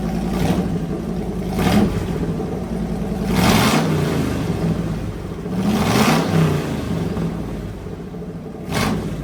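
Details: Fully rebuilt Magnum 318 V8 (360 cam, roller lifters, new timing set, valve job), timing adjusted and vacuum leak fixed, running heat cycles; even idle rising into several smooth revs, no knock or clatter, healthy.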